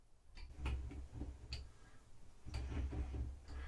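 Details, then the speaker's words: Creality CR-10 Max X gantry moved up and down by hand with both Z rods removed. Slow, uneven soft thumps, one per roller turn. Rollers have flat spots, probably from shipping; replacement planned. "Whether or not you can, it is. And I've seen this happen on the bed before, is that these rollers have got flat spots in them, probably from shipping."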